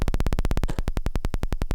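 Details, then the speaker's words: 2016 Minimoog Reissue, oscillator compared at 16 and 32 footage on lowest C and F notes: low buzzing note pulsing about twelve times a second, nearly a click, sounding a whole octave below where it should; oscillator range fault. "how low it is compared to that that's the F note it's just a click so it's going down a whole extra octave than what it should"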